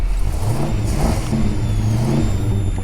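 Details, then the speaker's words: Ford XF Falcon ute, 351C V8, started a bit cold on gas, held flat to the floor: flat low drone that never climbs, cuts out then picks up slightly; fails to rev, owner suspects fuel, gas mixer or faulty coil. "sounds good but doesn't it it's not getting RPM it could be a faulty coil but it's weird that I hold it flat it dies completely and then it picks up a little bit"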